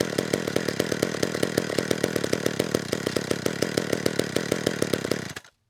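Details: McCulloch Eager Beaver 2.0 cu in two-stroke chainsaw after carburetor clean (was a no-start), no purge bulb, air filter fitted: burbling four-stroking beat about ten pulses a second before cutting out; suspected the filter richened it, low-speed jet needs leaning.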